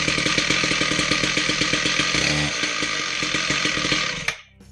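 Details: Husqvarna K760 Cut n Break concrete saw after head bearing and clutch drum replacement and belt tightening, test run: two-stroke runs crisp and even with steady rapid beat for four seconds, then shuts off cleanly; healthy.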